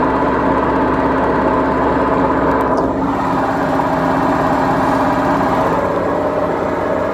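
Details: BEKO washing machine, 7 years 8 months old, with bad drum bearings: a loud, steady rumbling roar through the whole spin with no let-up, classic worn drum bearings; owner plans to replace the machine.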